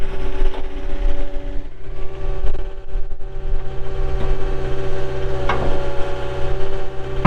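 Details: 2020 Caterpillar 259D3 skid steer loader with 1,484 hours, fired up for operation: steady diesel drone with an even low hum and no knocks or rattles, plus some handling noise, so the engine runs healthily.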